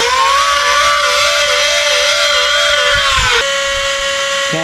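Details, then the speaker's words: Battery-operated handheld mini vacuum after its noisy, slow-running motor was lubricated: a clean, steady high whine with no grinding, running like new. "put it back together and fire it up again for you all right we got her all done and it sounds a million times better sounds exactly like it did when it was"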